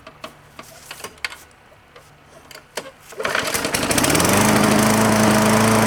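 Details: Old green push mower ready for resale, first start outside after fuel tank flush, new quarter-inch fuel line and recoil work, air filter cover on without a new filter: a few hand clicks, then it catches into a fast, even single-cylinder beat. Healthy.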